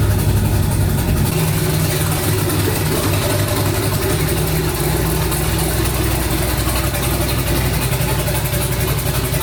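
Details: Twin-turbo 5.3 V8 New Edge Mustang, first start after rewiring, fan set for 180: deep steady rumble holding an even idle, no knocks or misses; engine settling in, learning and warming.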